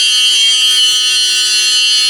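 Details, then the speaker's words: RC Promoto bike after teardown and reassembly: constant high-pitched flywheel spin tone, no pitch change, scraping or knocking when rocked, unlike before; owner suspects a loose part fixed by tightening; normal flywheel whine. "the sound isn't changing um when I was outside and I did this this town changed a lot but it's no longer doing that so it sounds good maybe something was loose and where I tightened everything up it works fine"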